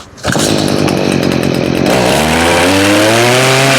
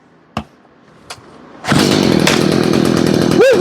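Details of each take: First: Stihl two-stroke (blower, trimmer or hedger) with a bog problem: it revs up twice but sags and never holds full RPM under throttle. Suspected to be running out of fuel, with fuel, filters and carburetor still to check. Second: Stihl two-stroke blower/trimmer/hedger, repaired after bogging with no power. Two pulls, then it fires and holds a steady high howl, picking up cleanly without stumbling; running healthy now.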